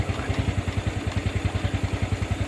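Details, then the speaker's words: Honda Wave 110i with slipping clutch, cold engine before repair: even idle thumping about seven times a second with light tapping clatter, said to be louder when hot; engine internals wearing loose. "แต่ว่าเสียงเครื่องนี่โตโต้เปล่าเริ่มดังแล้วนะครับอันนี้เครื่องเย็นมันอย่าเงียบนะของเครื่องร้อนๆนี่จะดังกล่าวเลยครับ"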